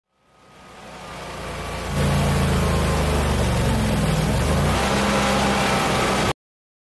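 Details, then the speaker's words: Generac 22 kW propane generator with an internal regulator previously replaced by a technician: under load from the hot water heater the engine note rises and sags and never settles, hunting; owner suspects the gas regulators not supplying enough gas or else the internal regulator. "so now what's happening is when this generator gets under load specifically our hot water heater it'll start hunting"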